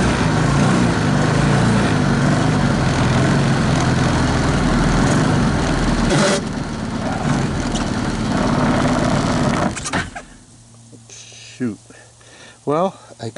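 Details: 2014 Linhai Big Horn 400 UTV single after spark plug change, harness rearrangement and a portable 12V CDI ignition, started without choke: uneven thump about ten seconds then cuts out; runs but not right, owner suspects lost spark.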